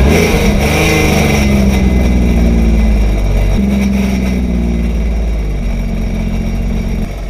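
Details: Sea-Doo jet ski dewinterized after winter storage, running on the flushing hose: engine revs up, then drops back to a steady, even idle with a smooth exhaust note; runs cleanly.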